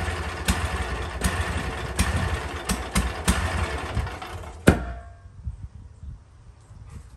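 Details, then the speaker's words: Toro MX5050 zero-turn mower, Kohler KT735 7000 Series 24 hp with smart choke, hot engine at shutdown: rough uneven running with sharp pops then a loud bang; runs on or backfires only when hot, fine when cold; suspected fuel cutoff problem. "But after you've been running it for a while and the engine is hot, then you go to shut the unit off, it would either run backwards for a minute and then shut off, or it would backfire and shut off."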